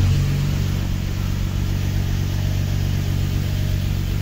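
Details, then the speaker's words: Infiniti G35/Nissan 350Z after Exedy lightweight flywheel and stage one clutch install, first startup: idle stays steady going into first gear, no grinding or chatter; smooth normal clutch engagement, pedal adjustment and slave cylinder bleeding still pending. "She drives good, goes into gear good."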